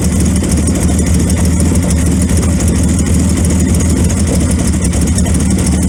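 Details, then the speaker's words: 1928 Franklin, off the road 71 years, first start: uneven, lumpy idle with an irregular low beat around three a second, stumbling and missing. Owner suspects retarded ignition timing; runs better when advanced. "I think that's most of our problem is our timing's retarded."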